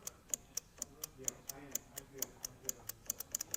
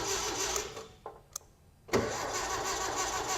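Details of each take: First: 1961 VW Beetle barn find: rapid, faint light ticking at several clicks per second, and the starter doesn't engage or spin. A bad ground is suspected, since the cable looks new. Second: 1961 VW Beetle barn find, old starter reinstalled after cleaning the ground and bolt: brief delay, then it cranks the engine steadily with an even churn. Normal cranking; battery confirmed okay, replacement starter judged probably shot.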